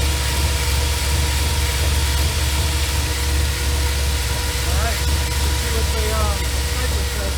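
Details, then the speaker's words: Holley Sniper EFI with IAC on a Dodge truck, warm idle: deep lumpy note with slow uneven rise and fall, idle hunting since day one; wiring moved away from coil, ferrite chokes fitted, grounds checked, cause still unknown. "all right well this is what it's been doing and i can't figure it out i'm glad i caught it on camera look at that this thing's crazy"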